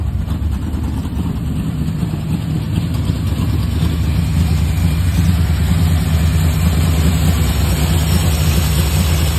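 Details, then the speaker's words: 1970 Dodge Coronet 383 big-block, two-barrel Holley, factory single exhaust, first start after sitting about a year: heavy, lumpy idle with an uneven loping beat, no smoke; seems to run on only five or six cylinders. "uh looked like it was only running on about six five or six cylinders but we're going to go through this motor anyway someday"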